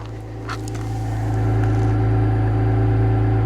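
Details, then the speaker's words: 2025 Ram 1500 Rebel, twin-turbo inline-six SST, 2,500 miles, heard at the exhaust at idle; steady, smooth idle with no misfires yet, though expected to misfire again after about 20 minutes of idling; coolant was found low. "no misfires currently but I don't want to let it sit here and run because if I let it sit here and idle for like 20 minutes it's going to start misfiring again"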